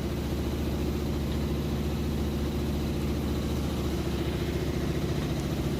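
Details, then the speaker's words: Like-new Maytag Bravos HE top-load washer, heavy-duty cycle with warm water and super heavy load, high-speed spin: smooth steady low hum, no knocking or thumping; stable, not jumping around, normal spin. "sounds great it's nice and stable it's not jumping around or anything like that"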